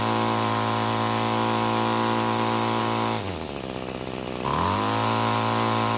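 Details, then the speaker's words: Curb-found Bolens two-stroke string trimmer loaded by four thick line ends: steady high buzz dips briefly then winds back up; cutting off two string ends gave a definite increase in engine speed. "so so there was a definite increase in engine speed just getting rid of half the string ends this engine has enough power to use this size line but i think two ends would be less stressful than the four ends that it has"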